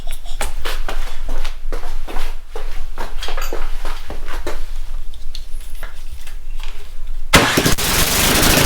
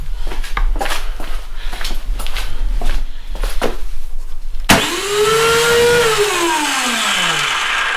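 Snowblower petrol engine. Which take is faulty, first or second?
second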